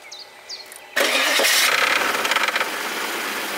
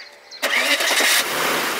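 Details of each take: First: Audi/VW V8 timing-chain engine (same hydraulic chain tensioner issue as 1.8T, V6, V8 of 1994–2005) started cold after standing: harsh metallic rattle for the first seconds, gone on second start, from a failing hydraulic timing chain tensioner. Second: Warm restart of an Audi/VW V8 (1994–2005 VAG engine family with hydraulic chain tensioner issue) after a start from standing that rattled; second start runs even with no timing chain rattle, normal.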